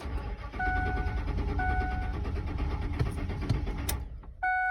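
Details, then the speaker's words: Ford 4.6 truck that runs poorly after months at a shop, owner suspects failed fuel pump; labored, dragging crank that slows and fades with a chime as the starter struggles on a dead battery. "man. That starter's not happy. And now we got a dead battery."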